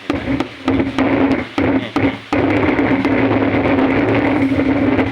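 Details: AJ speaker cabinet with built-in Bluetooth/MP3 player and hiss and hum from the right speaker. The hum crackles and cuts in and out with sharp clicks when the cabinet is knocked, suggesting something loose, likely cracked solder on the amplifier chip.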